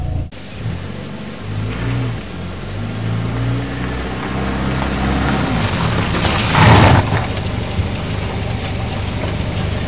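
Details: 1997 Chevrolet Cavalier after replacing squeaking front disc brake pads (worn wear indicator): car pulls away and stops several times with engine note rising and falling, no squeal or grinding, and the brakes stop well.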